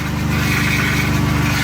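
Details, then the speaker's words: Replacement engine first started after swap: rough, steady idle with a faint high whine from the power steering pump running low on fluid lost during the repair, fading as fluid is added; exhaust leak also heard. "Oh, that's power steering, guys. Remember I lost power steering fluid, so I need to add some power steering fluid."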